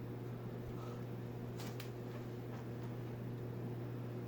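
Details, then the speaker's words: Phil Frey custom brass oak leaf antique ceiling fan running on high, steady low 60-cycle hum with no wobble or knocking; owner suggests rubber washers between blades and brackets or brackets and motor, suspects the wood blades transmit it. "Now, one thing I would do if I was going to install this somewhere, I might put rubber washers either between the blades and the blade brackets or the blade brackets and the motor, because you can hear a little bit of a 60 cycle hum."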